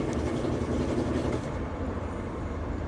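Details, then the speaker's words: Whirlpool (badged) top-load washer being checked for a not-spinning/grinding complaint, run in drain and spin after servicing: steady low rumble, spinning nice and smooth with no grinding or knocking; normal spin. "All right, we're going to button the cover on and put her in for drain and spin. [Music] All right, she's spinning"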